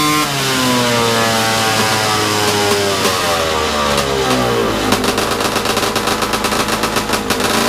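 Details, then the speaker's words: Bigbore stroker 277 two-stroke snowmobile engine, out of the sled and rebuilt after a PTO-side seal fix, ignition lowered slightly, cold garage: high steady buzz sags into ragged popping as the engine cuts out. "well that didn't last long it's it's better than last time at least"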